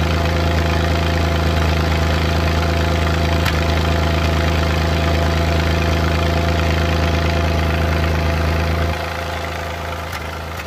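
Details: Suzuki Multicab F6A small petrol engine idling unevenly with an irregular "tak…takatak" tapping stumble: random engine misfire at idle.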